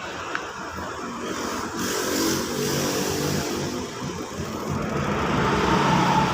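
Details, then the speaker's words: Honda Vario 125 FI scooter after rebuild with new piston and an oil pump check: engine revs up and holds a steady, even note with no knock or rattle, now smooth and no longer smoking. "kondisi suara sudah halus ya karena ini Krisna sudah baru sama kampret sudah baru dan juga sudah tidak berasap"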